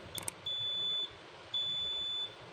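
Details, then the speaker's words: Dawlance fridge whose compressor won't start: multimeter gives two steady high beeps about a second long checking the power switch continuity in a quiet room; circuit OK, before compressor relay checks. "Continuity ठीक है, तो इसे यहाँ पे लगाते हैं और इसे चला के चेक करते हैं।"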